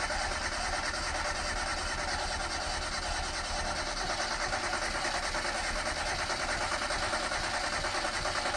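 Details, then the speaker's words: 1990 Ford Festiva, chopped and shortened, unused for about a year and a half, with fresh fuel and a good battery: steady starter churning at two to three turns a second with no firing; owner hears no fuel pump running. Cranks, no start. "Let's see if it starts. No fuel pump? I do not hear a fuel pump."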